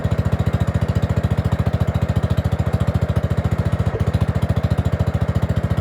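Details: Gravely 5665 freshly fitted with a China carburetor (after a 15hp carb was tried), air cleaner on: a fast, even low idle thump holds together only on part choke.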